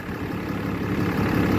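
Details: 2012 Ram 3500 6.7 Cummins diesel at idle after replacing a water pump with a loose, rough pulley and a broken belt: steady, even low rumble, no squeal, knock or rattle, no leaks, running cool.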